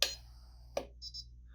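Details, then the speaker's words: Sunstone mPulse permanent jewelry welder: two contact clicks, then a double beep, as the weld is aborted because the electrode touched and was then pulled too far from the piece. "so what that's saying is that machine is saying hey I saw that you attempted a weld by touching that but you're too far away now so we're going to abort that weld"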